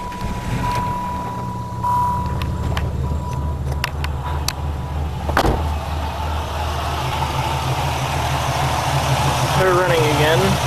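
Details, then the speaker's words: 1996 Pontiac Grand Prix after two years and 30,000 miles of ownership, fresh plug wires fitted: a steady, even low rumble at idle with no misses, knocks or ticks, normal idle. "I'm going to actually I'm going to start this car up real quick show you what she sounds like after 30,000 miles of owning her 2 years"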